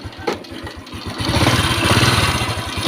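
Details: Honda Wave 115i fuel-injected motorcycle, kick-started at idle: a light metallic tak-tak clatter from the cam chain area, the chain found very slack and whipping because the rubber chain-tensioner roller had cracked, letting metal hit metal.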